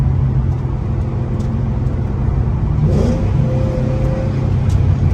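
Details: Ford Mustang GT 3V 4.6 V8 after a new engine, clutch, flywheel and headers install: a loud deep even exhaust rumble stays steady under throttle with no knocks or clatter. Normal, strong running.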